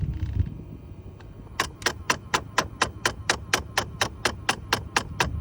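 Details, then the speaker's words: Under-dash temperature blend door actuator clicks quickly, about twice a second, when the AC is set to cold as its internal gear strips at the end stop; it is silent on hot and after replacement. "what is making noise when you turn on your vehicle or when you put the AC to cold or hot you hear that that's a temperature blender actuator"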